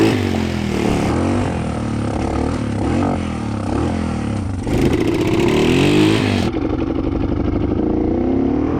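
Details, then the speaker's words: 1987 Honda Fat Cat single-cylinder trail bike, revived after at least 15 years sitting, ridden with the choke accidentally left on: lumpy, stumbling, clattering revs, running rich. Fuel was also flowing from the carb overflow; a float adjustment is suspected. "I completely forgot about the choke and it was running like total garbage."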